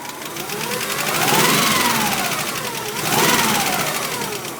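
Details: 1991 Subaru Legacy SS: light, quick ticking from the driver side that keeps pace as revs rise and fall; owner suspects hydraulic lash adjusters, top-end source unconfirmed.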